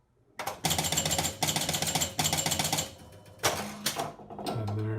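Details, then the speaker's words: Gottlieb Sure Shot electromechanical pinball, after the bonus unit disc was reset, having been off by one rivet: bursts of rapid even clicking, relay clacks and a chime as the bonus counts. Scoring correctly; normal bonus count. "but this is completely working scoring correctly at the moment"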